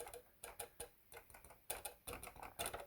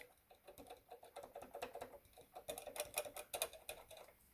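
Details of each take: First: Casio CTK-3500 keyboard: sharp uneven plastic clicks when keys are pressed even slightly, from keys striking their internal contact buttons. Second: Casio CTK-3500 keyboard after fix with tape on the key contacts: soft, uneven key taps in a quiet room with no more clicking noises.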